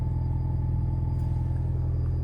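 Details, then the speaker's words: Alfa Romeo GTV first start after fuel pump replacement: even steady low idle with faint constant high-pitched pump hum underneath, no misses; runs well, new pump much quieter. "can hear it running it's quite high pitched it's uh that was a good start though that run well"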